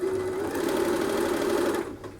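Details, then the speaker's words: Upholstery sewing machine run by pressing the electric foot pedal, which completes the circuit and sets speed: smooth, even motor hum with a steady whir, then slows and fades as the pedal eases off; healthy. "The placement of the foot pedal should be right in front of you, and I've turned the machine on, and as I push down it completes the electrical circuit, and you'll be able to hear the machine working."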